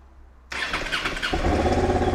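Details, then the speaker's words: Worn-out old Honda Deauville's first start after a new clutch cable and new battery were fitted: fuel pump primes, the starter spins under a second, and it catches into a steady, even tickover; some smoke, hoped to be burning off from the exhaust. "yes listen to that Mighty Beast tick over is a little pivot Yeah we actually have a running motorbike that was um surprisingly easy"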